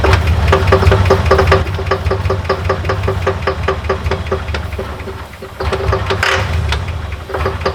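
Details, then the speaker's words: Truck engine after sitting for weeks, started on starter fluid: uneven rough idle with sharp tapping a few knocks a second; owner suspects lifter tick and plans oil additives, cause unconfirmed. "All right, I'm in the car about to go find some additives and oil to fix this lifter tick."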